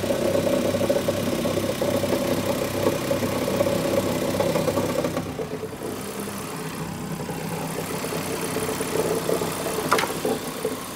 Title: E46 m54 strange knocking/rattling sounds